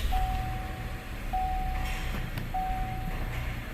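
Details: Chevy Blazer/GMC Acadia 3.6L at idle just after spark plug replacement, no warning lights: smooth, even low idle with no stumble or miss, dash chime pinging about every 1.25 s; engine healthy.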